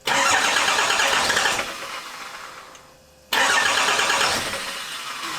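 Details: 2008 Ford F-450 with swapped-in 5.9L Cummins turbo diesel, first start attempt: starter cranks, engine catches with a loud burst for a second or so then fades and dies; rag left in intake got sucked in.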